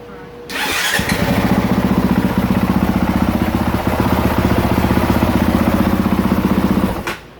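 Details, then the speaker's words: 2023 Honda CRF450R single-cylinder hot restart after sitting four or five minutes, checked for a head gasket leak, no coolant loss: fires instantly and settles into a crisp, even idle thump before shutting off; healthy hot start, earlier overheating suspected. "she's not putting any water on the ground no coolant on the ground and she's starting right up so I'm gonna give her a clean bill of health"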